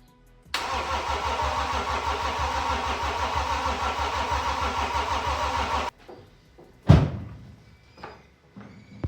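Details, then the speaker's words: BMW X5 M50d diesel on first crank after engine rebuild, with new fuel filter and oil, battery charger connected and mass airflow sensor/air filter not installed: steady starter churning for about five seconds with even compression pulses, never catches. Cause unconfirmed; glow plug codes later found. "Let me grab the air filter because the um mass airflow sensor's in there, and I don't know if it starts without it."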